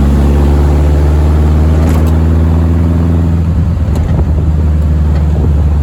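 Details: Air-cooled VW dune buggy driving after replacement of the throwout bearing, pressure plate and clutch disc: deep, steady drone with no rattle, and no clutch-pedal noise. Normal clutch operation.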